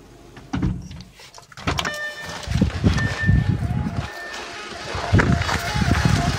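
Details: 2006 Audi A4 B7 2.0T: a thin high whistle comes and goes over a lumpy idle, rising and falling like a siren, seemingly from the driver's side of the engine bay near the oil cooler. Source unknown.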